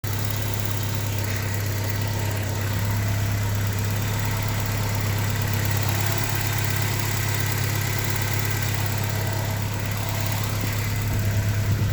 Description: A ticking noise of a 1989 Porsche 944 Turbo M44/52 engine.